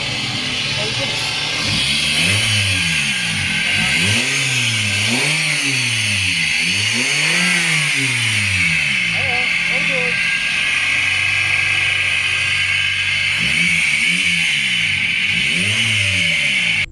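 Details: Suzuki Swift Gen 1 petrol engine after replacing the VVT solenoid for code P0011 (timing over-advanced), misfire and high idle: clean revs settling to an even normal idle, with the fault code cleared.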